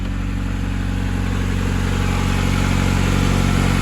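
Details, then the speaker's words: 1990-93 (CB7) Honda Accord after alternator replacement fixed a battery light from undercharging: smooth, even idle with steady low hum, no knocks, ticks or belt squeal; running smoothly. "Everything looks good over here. Sounds like she's running smoothly."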